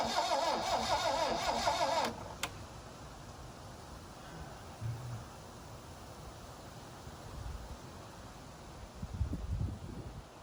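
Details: 1972 Plymouth Cricket (Hillman Avenger) sitting since 1989: about two seconds of rhythmic cranking, roughly three turns a second, then quiet without catching; carburetor plugged, needs new spark plugs.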